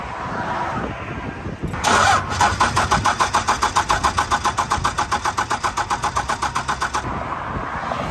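Starter churns steadily at almost four compressions a second for about five seconds, but it never catches; air trapped in the injection lines.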